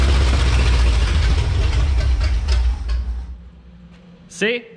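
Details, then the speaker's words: 1977 International Scout II V8 with no exhaust fitted, first proper run after a months-long restoration with the motor finished: loud, deep, even rumble with a steady firing beat, no knocks, then a clean shutdown; healthy engine. "there you go this thing's finally running again sounds great i knew that motor was going to be healthy and i'm glad that we could finally hear it"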